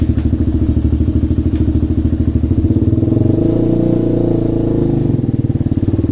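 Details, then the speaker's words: DVX400 quad single-cylinder after turning the fuel screw out to three and a quarter turns, revs climb and settle evenly with no pops or crackles on the exhaust; popping cured, fueling clean. "Well, she's not popping at all now, which is nice."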